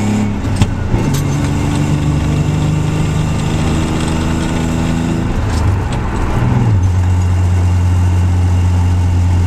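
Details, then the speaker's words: Nissan Z with six-cylinder engine at idle around 800 rpm: idle spikes after a blip, then drops unevenly with a lumpy stumbling beat; misfire at idle, power balance test passes, owner suspects a faulty injector, exhaust leak at header present, cause unconfirmed. "It's just the idle is a little erratic, and it's accelerating's no problem, driving's no problem. It's just misfiring."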